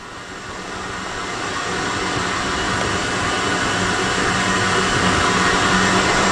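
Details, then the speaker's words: Fully refurbished SciTech 270-S spin rinse dryer in final test with small wafers, end of the dry cycle: loud, smooth whooshing rotor spin with no knocks or rubbing that winds down quickly to 0 RPM. Wafers come out warm and dry. Normal operation. "Okay, this is because of the small wafers, it's going to wind down very quickly, which it does."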